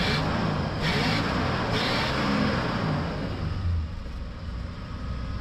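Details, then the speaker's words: 1979 Lincoln Continental V8, revived after six years sitting with a replacement starter, new fuel pump and swapped Dura Spark ignition box, driving under acceleration: smooth, even pull rising with speed, no knocks or misses; runs healthy. "We got a runner. A, she sounds good. Brakes feel good."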